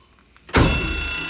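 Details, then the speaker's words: Freshly rebuilt Bridgeport motor, wired for 240V, first test run after reassembly: thump at switch-on, then a steady high metallic ring over the motor hum as it spins up; cooling fan rubbing its cover, to be lifted slightly. "i still have a little bit of ring from my um for my fan so i'm going to actually lift this up a hair more"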